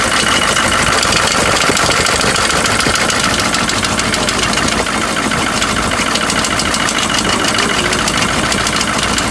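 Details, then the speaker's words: GMC Suburban 6.5 L diesel, bought unseen, seller said it runs rough and smokes, first start on trailer: loud idle clatter with regular tick or knock about three per second on one side; cause not yet found. "uh it sounds like on that side there's a kind of a tick or a knock or something so i'm going to have to deal with that right now"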